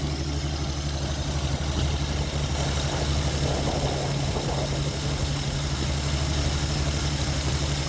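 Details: Ford XP Falcon six running for the first time after 35 years sitting. Fuel isn't hooked up, so the carburettor bowl was primed by hand until it ran out. Fairly even idle with a steady low rumble and no knocks or misses.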